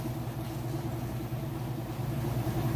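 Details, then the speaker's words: Whirlpool top-load washer, heavy jeans and towels load, final spin: steady low hum building to full speed, smooth, no thumping or scraping, balanced load; lid switch stops it; normal spin cycle. "Alright, now we're on the final spin here. It's getting up to full speed."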